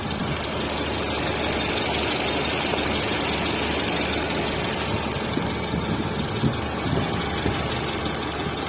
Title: TATA Zest Engine Cam shaft Noise | Engine Noise Problem | Zest Car Engine sound problem | #carengine